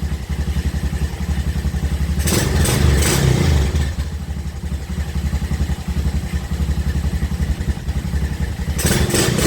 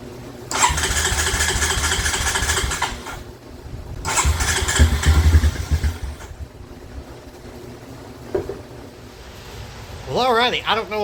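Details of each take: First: 2007 Honda Recon ATV, wrecked and sitting 8–10 years, started right out of the box with fresh gas and battery: even, steady single-cylinder thumping at idle with no misses and no visible smoke; normal idle. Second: 2007 Honda Recon ATV left abandoned in a field: two long cranking bursts briefly try to catch, then die back to silence. It won't start because the carburetor is seized solid.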